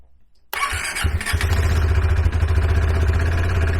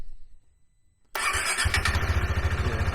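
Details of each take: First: KTM 390 Adventure, started cold right after the PowerTRONIC ECU was plugged in: it fires, holds a rough uneven idle a few seconds, then drops off. Owner suspects air in the fuel system after the tank was removed; it needed wide-open throttle to start. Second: KTM 390 Adventure restarted after the earlier hard starts (suspected air in the fuel system from tank removal), with the PowerTRONIC ECU plugged in but before the tuner was hooked up: the single catches instantly and settles into an even steady thump; a normal, healthy start.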